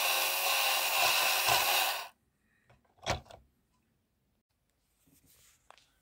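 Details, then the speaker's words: Insect-a-zoid robot (Marks & Spencer model 4218), after moving the pinion gears about 1 mm up the motor shaft so they no longer rub the crown gear: smooth, steady high whir with no grinding; normal gear mesh. "here we go again and this time it should be much quieter"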